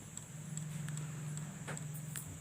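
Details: Samsung original kit power supply; sharp ticks repeat about two to three times a second over a quiet hum as the supply keeps restarting; hiccup.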